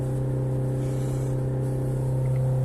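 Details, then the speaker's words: Warm (90°C) Peugeot 5008 diesel holding a high dead-steady drone near 4000 rpm with no throttle during forced DPF regeneration for a failing emissions system, normal, can last 10–30 minutes. "Donc là, il reste à presque 4000 tours. Et en général, il va rester comme ça pratiquement un bon quart d'heure."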